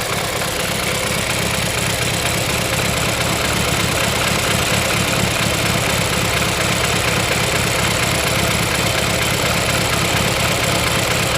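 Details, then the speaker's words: BMW F30 328i N20 engine at idle, uneven lumpy beat about two per second with a knocking edge: misfire, cylinder 2 lost compression from cylinder wall damage, a costly mechanical fault rather than electronic; drivetrain malfunction, oil consumption. "so dry treadmill function in this case can as an issue but the issue it is not something electronic it is mechanical and it's going to cost a lot of money to fix"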